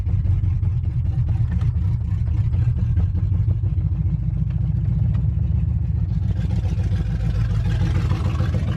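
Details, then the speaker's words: Truck V8 on first test drive after engine rebuild: rough running with a low, uneven thudding knock from the rotating assembly plus a squeak. "sound like it's knocking"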